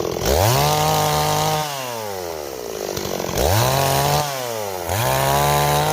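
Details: Stihl 026 chainsaw, returned by its owner as a no-start and repaired: screams to full revs, pulls down smoothly into three even cuts and recovers cleanly; healthy, strong-running saw.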